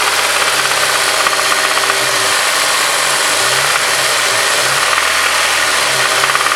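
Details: Honda S2000 at idle: fast metallic tapping in a harsh clatter; rod knock suspected, not confirmed.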